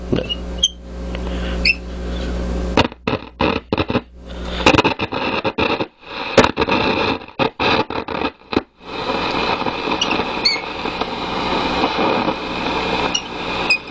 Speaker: Command switch is a little bit noisy. I don't see how that could be. I don't see how this band switch could possibly be that noisy.